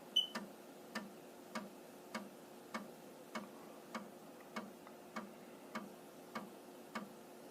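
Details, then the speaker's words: Amiga 1000 tested without a monitor, floppy drive reading the Kickstart disk: crisp, even clicks about every 0.6 seconds over a quiet hum; normal loading after the internal checks. "And a good sign is if it makes that clicking noise. So if it's making that noise, it means it's woken up, it's gone through its internal checks and diagnostics, and it is looking for a disk."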